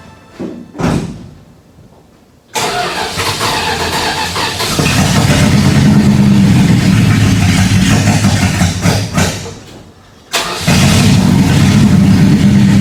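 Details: 1976 Dodge W200 truck after brake booster and master cylinder work: cranks, catches and settles into a steady, even idle with no knocks or misses; starts and runs normally.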